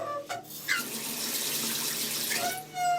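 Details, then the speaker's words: Mixer tap before repair, with both hot and cold singing: rushing water with a clear whistling hum. The cartridge is worn and likely needs replacing; loose pipes or a missing pressure reducer are other possible causes mentioned. "Ну тут они обе поют скорее всего наверняка робукс придётся менять"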